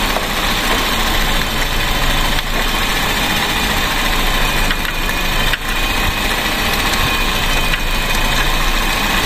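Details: Misfiring car after spark plug replacement and correcting swapped plug wires (firing order 1-3-4-2): steady, even idle with a constant low hum, no stumbles or hunting; engine now healthy.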